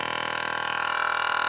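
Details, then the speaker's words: Bench demo of an automatic transmission PWM solenoid pulsed by a 5V square wave through a MOSFET: a steady, even buzz with a fast constant pulse as the solenoid operates normally; normally it runs too fast to hear. "you can hear it operates that solenoid they'll operate these things at fairly high frequencies so you wouldn't normally hear that"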